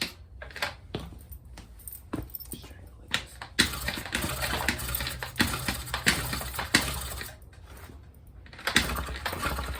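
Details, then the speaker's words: Honda NC50 Express 50cc scooter on a cold day cranks repeatedly without firing after too much starting fluid; spark confirmed but the plug is wet; flooded engine, cranks but won't start. "Oh yeah, I think it's flooded. Probably sprayed a little bit too much. Spark plug's all wet."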